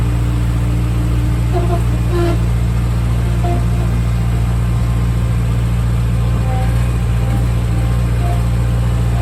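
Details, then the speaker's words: Refurbished Bobcat skid steer running after topping up hydraulic oil: a steady engine drone with a faint constant-pitch whine, believed to be air circulating in the hydraulic system that should self-bleed. "At this point, you can hear some whining. I believe that's the air circulating through the system. It should, I believe it's a self-bleed, so it should get out of there."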